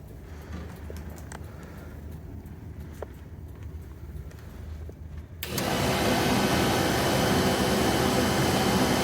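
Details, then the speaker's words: Porsche 914 heater blower motor after replacement and relay testing: quiet, then fan spins up to a steady, even whoosh with no rattle, scraping or air leaks; blower running right. "Blower's on. Looking good. No air leaks."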